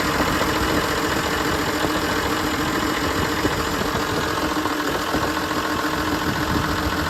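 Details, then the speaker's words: John Deere 7520 diesel tractor with hard starting and rough idle, clear fuel lines fitted to check for air: loud idle with an uneven, slightly hunting beat; air bubbles seen in the lines, some entering the injection pump. "Okay folks, we got a 7520 here and we have a hard start issue along with a rough idle. It sometimes runs better, sometimes it runs worse."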